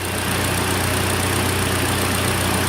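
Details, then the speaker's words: 2013 Hyundai Elantra, AC recharged, engine idling warm with fan running: even low idle hum under steady fan rush, no knocks or squeal; instant really cold air, hot side hot, cold side cold, engine and AC normal. "Got instant cold air. Instant really cold air. Hot side getting hot, cold side is cold."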